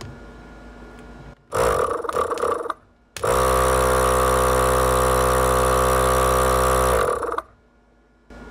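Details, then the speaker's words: ARB compressor, date code 2015, after about 8 years of hard use, reassembled after teardown and run on a battery with charger, no-load test: spins up to a steady, even hum with a smooth piston beat, no rattle: sounds good. "sounds pretty good sounds pretty good really"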